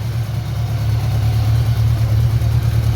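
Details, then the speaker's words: Budget bobber motorcycle build, running: a low thumping idle that rises and falls slightly. The carbs still need synchronizing, which is believed to cause the uneven running. "need a carb sink yet that's why it runs kind of a little uneven"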